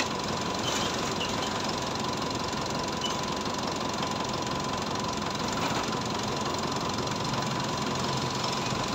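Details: Mitsubishi Montero diesel idling after water pump replacement: quiet, even clatter with no misses or knocks rising above the hiss; settles into a steady, healthy tick-over.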